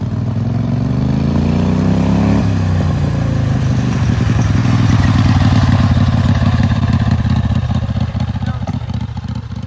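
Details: Turbocharged Wheel Horse mower engine at full throttle, showing about zero PSI of boost: climbs to high revs, then stutters unevenly three or four times a second and cuts out at high RPM. Cause not confirmed.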